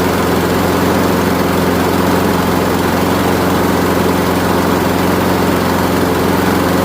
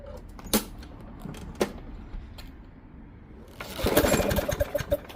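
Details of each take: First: Craftsman Gold mower, Briggs Quantum 6.75 single-cylinder, low on fuel: after running slow briefly comes up to speed, steady even drone at full speed, no misses or surging; choke actuating correctly, healthy. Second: Discarded Craftsman Gold mower, Briggs Quantum 6.75 engine, front self-propel, grimy and oily, first run: uneven popping with gaps and stumbles, skipping; plug found really rusty.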